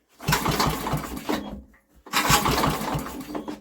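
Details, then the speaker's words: Old Briggs and Stratton generator with a new carburetor, tapped before pulling: two pull-start attempts, each giving a second of ragged popping before dying. It fires briefly but won't run; owner thinks this rules out timing. "didn't she right well well that's eliminating any problem with timing I would have thought she's trying to go"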